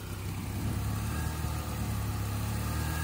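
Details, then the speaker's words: 2007 Honda Accord 4-cylinder after replacing the bad low-pressure power steering hose O-ring: steady low idle while the wheel is turned, no whine from the pump, reservoir bubbles gone. "no whining whatsoever and another indicator that you repaired it is those bubbles are all gone"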